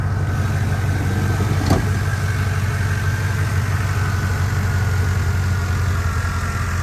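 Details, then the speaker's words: Restored 1990 Chevrolet Suburban V1500 4x4 with 350 TBI V8 and 700R4 transmission, heard with the hood open; steady even low rumble at idle, no misses, knocks or ticks, idles down perfectly: normal idle. "idles down perfectly runs buttery smooth"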